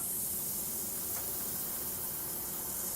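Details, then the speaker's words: Lit welding torch while brazing with flux-coated filler rod: steady, loud hiss from a dirty tip that needs cleaning before continuing. "you hear that hissing noise my tips's gotten a little dirty I better clean it before I proceed"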